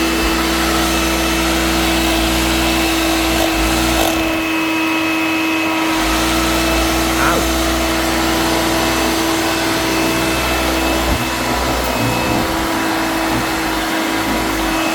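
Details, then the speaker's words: Vintage Hoover vacuum cleaner, switched on for the first time after purchase: steady motor hum dips and drags for a couple of seconds, then recovers; the motor is labouring and nearly stalling. "I can hear it stalling. Not very good."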